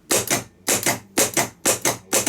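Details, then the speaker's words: Bosch starter motor from a BMW 740 (M60), on the test bench after cleaning, greasing and fitting a new brush holder and brushes: crisp paired clicks about twice a second, each pull-in and release clean and identical. Solenoid engaging normally. "I'm going to go over to my uh uh test bench to uh put current on the starter motor and let's see what it does and let's compare it with how it ran"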